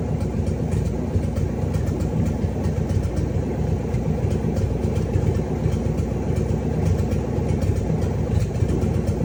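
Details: Cadillac 500 V8 after rebuild, startup and idle: deep, steady rumble with even beat and no knocks or ticks; healthy, smooth idle.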